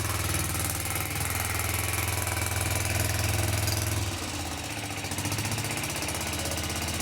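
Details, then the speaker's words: Kawasaki FS651S twin on a high-hour mower, after valve lash set, everything torqued to spec, plug refitted: uneven lumpy beat about three knocks a second with midway dip and stumble, smoking heavily; owner suspects a damaged piston ring, unconfirmed. "Uh well, there's definitely still something going on with it. Not sure what is going on with it, but uh it is running, driving, and smoking like crazy. My guess is something's damaged in it."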